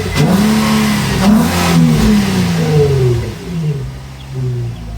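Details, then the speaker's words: Nissan 350Z engine revving smoothly and settling back with no high squeal after the self-tensioning accessory belt, which had stretched, was adjusted and the 14 mm pulley nut tightened; the belt is now quiet and healthy. "No squeal at all. I like that."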